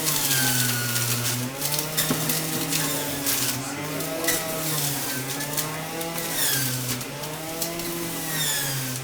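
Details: Omega BMJ330 Mega Mouth centrifugal juicer juicing a whole melon in under 30 seconds: loud high motor whine dipping and recovering as fruit loads it, steady spin-up, no grinding; loud by design compared with quiet slow juicers; normal running.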